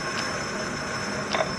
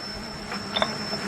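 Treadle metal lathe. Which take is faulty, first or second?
first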